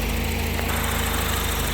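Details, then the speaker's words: Volvo after a wiring repair (connector housing had disintegrated, rewired), engine bay: smooth, even low idle with a steady beat and no knocks, misses or hunting; running clean. "She's running."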